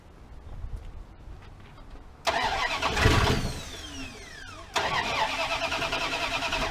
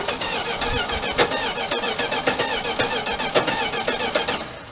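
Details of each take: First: 1979 Dodge D100 pickup, 10.2 V at the coil, ignition module or distributor suspected: two cranking bursts of about two seconds each, with near-catches but it never runs. Fuel not yet reaching the carburetor. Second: 1979 Dodge D100 Adventurer pickup, first crank with no fuel in the carburetor: the starter turns the engine at a steady pace with even compression pulses of about 220 a minute and none missing. Normal cranking with good compression.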